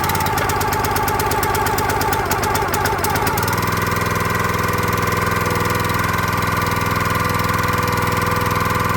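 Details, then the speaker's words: Log splitter small single-cylinder engine, unused about 3–4 years, started on first pull after fuel was poured into the carburetor intake: quick ticking, then a steady, even idle. Normal idle. "Well, there we go. Perfect. She fired up on the very first pull. That's awesome."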